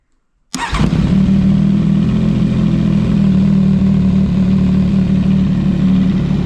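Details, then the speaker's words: CFMOTO 675SS motorcycle started after winter storage during de-winterizing: it catches at once and settles into a steady, even idle with a firm low beat. It sounds loud after the layoff, with no leaks or warning signs, and runs healthy. "You forget how loud something is until you start it back up again, but everything's looking good."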